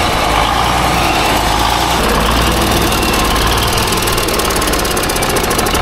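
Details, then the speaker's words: Small-cam Cummins diesel, not run for several weeks, rough idle: fast, light ticking about four a second from the back of the engine. Suspected valve lash or cam follower wear before pulling the valve covers; unconfirmed. "I'm gonna crank it up, take you over there, let you listen to the tick, and then we're gonna pull the valve covers off and do whatever."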